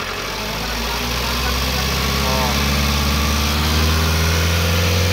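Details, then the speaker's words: BS6 Mahindra Bolero Pickup diesel after repair: the EGR bypass valve diaphragm (boot) was torn, leaking air behind the intake and making noise. It now revs up smoothly with a steady rising drone, no hiss or wheeze; engine running normally. "এতিয়া ভাল হৈ গ'ল।"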